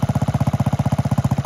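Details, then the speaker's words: 1969 Honda Z50 (Z50A) mini bike, after full tune-up and oil change. Even, steady putter at roughly twelve beats a second with no misses or knocks. Idles cleanly and healthy; running and riding good. "Okay, there we go, guys. Got this thing running. Seems to be riding good."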